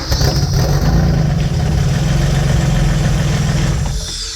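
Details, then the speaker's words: First start of the rear engine on a twin-engine Mazda MX-3 drag car. Catches and settles into a lumpy, deep, steady idle with heavy smoke, running very rich but not missing; all injectors work. Owner plans to take fuel out via the computer. "as you can see it's very rich but it's running injectors all worked obviously it wasn't missing or anything just fired right up"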